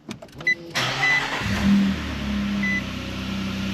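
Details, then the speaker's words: Nissan Frontier with newly fitted Overland exhaust kit (high-clearance exit) and Z1 intake, no load; short crank catches quickly, then a smooth, mellow, even idle hum, not too loud, no ticks or rattles: healthy idle. "I like it. It's not too loud. It's just that nice little hum."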